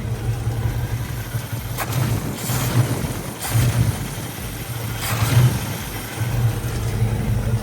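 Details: Box Chevy with a 350 small-block and Edelbrock carburetor, sputtering and backfiring; the mechanical fuel pump was replaced and the fault persists. The V8 idles unevenly, surging and sagging with sharp pops, attributed to fuel starvation from too little gas flow.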